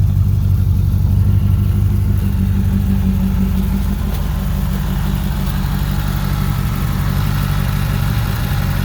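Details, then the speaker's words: 1985 Chevrolet Corvette, first-year Tuned Port 5.7 V8, four-speed overdrive manual: loud deep raw rumble at steady idle, too open; exhaust leak from big hole in muffler and pipe from the cat-back. "the exhaust is shot on it from the cat-back it's got a big hole in the muffler and the pipe"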